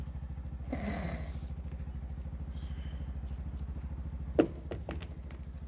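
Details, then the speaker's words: Single-cylinder vehicle with a starting problem described as common, after the fix: it starts and idles with a steady, even low thump and a couple of stray knocks; a normal idle. "ಇವಾಗ start ಆಗುತ್ತೆ ನೋಡಿ ಇವಾಗ start ಆಯ್ತು ಗಾಡಿ"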